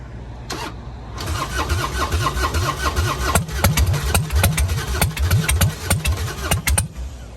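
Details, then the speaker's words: Motorcycle at Copart auction with full fuel tank, in neutral, given a little throttle: fast starter churn about three to four pulses a second with brief catches but never picks up; crank no start. "Let me give her a little fuel. She really wants to start. I wonder if she's out of gas."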